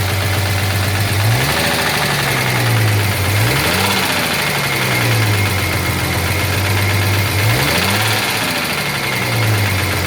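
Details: 1983 Jaguar XJS V12 idling with a rough, uneven knock and a hunting drone rising and falling every couple of seconds; the owner assumes a dropped valve seat, but this is unconfirmed.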